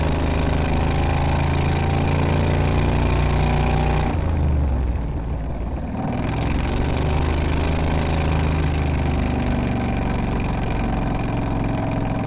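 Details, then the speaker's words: 670cc Predator V-twin-powered Renault with CVT drive, governor removed, running slightly lean, launching in first gear after drive system upgrades: steady low drone dips briefly then pulls evenly, no shudder; clutch chatter solved, smooth engagement. "the car launches hard and it's as smooth as butter so it looks like the issue with the clutch chatter has been solved"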